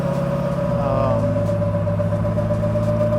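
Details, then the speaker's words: LS9 with Kong ported 2.3L supercharger, ported heads, PDS Stage 4 cam and 4L80E in a 3rd-gen Camaro convertible, tuned to run MAF-only with transient dialed in: strong, smooth pull with clean supercharger whine, no stumble; very responsive. "I dialed in the transient, so the thing's super responsive still, as you can hear."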